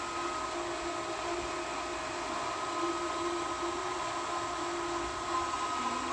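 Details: Pool pump switched back on after the valves were reopened, priming at high speed and starting to draw water: a steady, even motor hum with a constant high whine and no knocking; normal priming.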